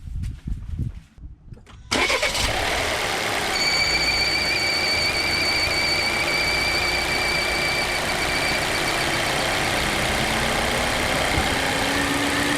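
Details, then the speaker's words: 2015 Volvo V60 T5 2.0T at idle, mic in the engine bay near the top of the crankcase: a loud high, steady whistle or squeal over the idle. Belt conditioner did not change it. The cause is a failed breather box/oil separator. "On the way back from the park, heard a loud whistle slash squealing type sound coming top area of the crankcase here in the engine bay."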